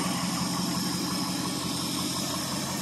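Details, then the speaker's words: 1970 Ford F100 Ranger XLT, 390 FE V8, cold start after sitting years, not driven in 21 years: smooth even idle with steady low rumble, no knocks, misses or ticks, no smoke; running healthily. "considering it's been 21 years since this thing's been actually driven he does run pretty"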